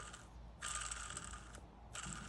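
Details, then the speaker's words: 1996 Sea-Doo XP 800 (787 rotary) crankshaft spun by hand during teardown: gritty, ratchety rattle from pitted main bearings; the worst bearing means a new or rebuilt crankshaft. "you can hear that one's not the greatest and that one is the worst so we're gonna order a brand new one"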